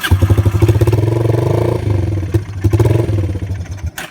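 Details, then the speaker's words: Yamaha Breeze 125 quad, first start in 5 years after carb cleaning and new carb parts, running on fuel without starter fluid: single cylinder thumps unevenly, sags and cuts out as if out of fuel; owner suspects stuck float. "It's kind of acting like it's running out of fuel. So I'm gonna try and hit the carb again with the end of a screwdriver. Float might be stuck again."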